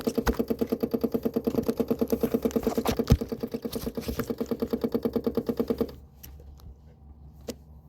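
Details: 2009 Vespa LX150 no-start: steady starter churning about three times a second for six seconds, never catching; sometimes coughs with a little gas; owner suspects dirty spark plug again, unconfirmed.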